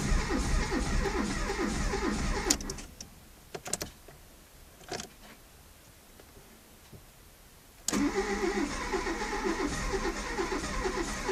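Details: Seat Arosa 1.0 won't start; two bursts of steady cranking at roughly two and a half turns per second with a quiet gap, never catching or firing: crank, no start.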